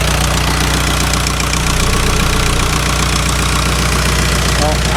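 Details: VW Jetta idling after oil change; quick even light tick keeping pace with idle, owner suspects lifter tick rather than exhaust leak, may need cam and lifters; cause unconfirmed.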